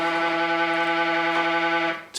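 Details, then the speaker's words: Wattbike Atom resistance unit at startup: stepper motor winds the magnets up with a steady buzzy drone that hits the limit switch and keeps going without cutting out; failed, likely sweat-salted limit switch not stopping the stepper, replacement ordered. "winding up winding up winding up winding up hits the limit switch keeps going"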